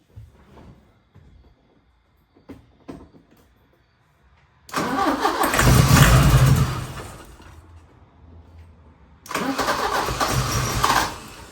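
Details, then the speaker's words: 1980 Porsche 924 Turbo, Bosch K-Jetronic, long unstarted, running on starting fluid: several cranks, then two short bursts that rev and fade; won't keep running, owner suspects no fuel delivery, unsure the fuel pump works. "But yeah, I mean, it's a start. It wants to fire, but I just think it's not getting fuel. I think it's just firing off starting fluid right now, to be honest with y"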